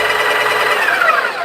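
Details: Breville Barista Pro built-in burr grinder running: a short, steady, high-pitched grinding whir that fades out, even and unlabored; the grinder is running normally.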